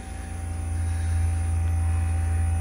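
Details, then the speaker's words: Bryant communicating inverter heat pump after compressor and inverter board replacement, running in cooling at 100%, about 47°F outside: steady low hum ramping up smoothly; inverter compressor running normally. "all right well compressor's running that's a good sign"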